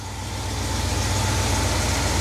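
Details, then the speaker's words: 1971 Cadillac DeVille 472 V8, first start with the rebuilt Quadrajet carburettor: a steady, low idle that creeps up slightly. The rebuilder set the fast idle too low. There are no fuel leaks; the owner suspects remaining idle shake is internal to the engine. "all right same drill as last time they got the fast idle set pretty low I don't know why they thought that was a good idea that picked up a little bit there"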